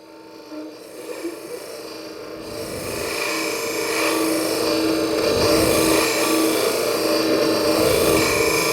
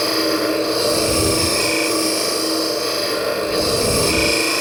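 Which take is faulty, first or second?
first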